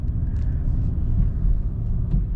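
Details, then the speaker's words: 2004 BMW 325xi after replacing ignition coils for misfires; on a drive, steady low engine rumble building evenly under throttle, no stumble, no check engine light; accelerates smoothly and sounds healthy. "accelerates nice and smooth sounds good"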